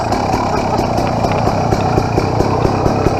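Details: 2007 KTM XCW300 two-stroke after a new fuel petcock and spark plug install, still cold: a steady, even putter with regular firing and no misses, knocks or rattles. Normal, clean idle.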